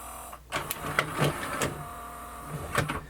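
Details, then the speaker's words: Sony MDP-333 laserdisc player under repair, powered up with the tray moved by hand: irregular whirring motor bursts with clicks and pauses; the motor that drives the mechanism along the disc runs, but the mechanism does not move. "I it doing something it's just not going anywhere just try to understand what kind of motor was doing this noises"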